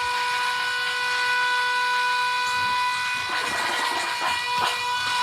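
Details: Electric oil scavenge pump for a rear-mount turbo oil return on a RAM 1500, bench demo with a little oil added after running dry; steady even electric hum, no surging, oil pumped out without foaming. Normal operation.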